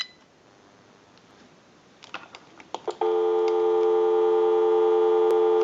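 A few quick keypad tones, then a clean, steady dial tone holds without wavering or crackle, so the line and dialing work properly.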